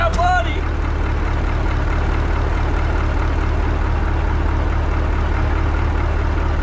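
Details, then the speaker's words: 1980 Peterbilt 359, Cat 3408 diesel revived after years sitting: deep even rumble holding a steady beat, no knocks or misses; 80 psi oil pressure, runs like a top. Normal idle. "Dude, it's got 80 pounds of oil pressure. Golly! She runs like a freaking top! That thing sounds good."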